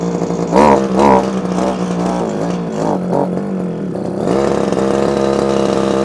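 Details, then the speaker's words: Old early-1980s Komatsu Zenoah Pro 26 two-stroke strimmer, off choke after first firing: buzz surges and sags, never holding steady revs; needs carburettor work, carb diaphragm suspected, no tuning screws found. "choke oh oh well it's doing something so it is actually doing something what it wants it wants a bit of a tune"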